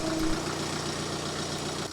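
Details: BMW 118d E87 diesel after glow plug control module replacement clearing 4A6E/4A5E glow faults (4690 remains, EGR valve suspected): steady even idle, smooth low rumble, no knocks, misses or rattles. Normal idle.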